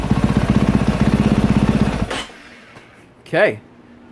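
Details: 2022 KTM 450 SXF after transmission repair (5th gear had failed), warm idle on stand at end of heat cycle: short run of crisp, regular single-cylinder firing about four beats a second, then cuts out; normal idle.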